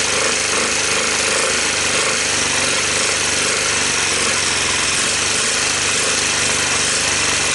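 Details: 1986 Honda TRX250 started on starting fluid and jump pack, low compression, smoking, shifter not engaging: loud harsh rapid clatter with hissy edge; owner hears bad sounds beyond the valves, suspects previous tampering, engine likely unsavable. Abnormal engine noise.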